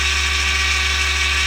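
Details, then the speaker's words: Yaesu G-1000DXC antenna rotator on bench test, speed dial turned down, running counterclockwise: steady low, even hum with no knocks or grinding; rotator turning slowly and smoothly, normal. "I don't know if you can hear that, but that is the rotator just very slowly moving."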